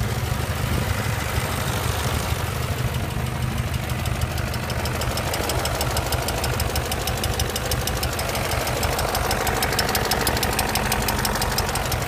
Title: E39 M5 Rod Knock?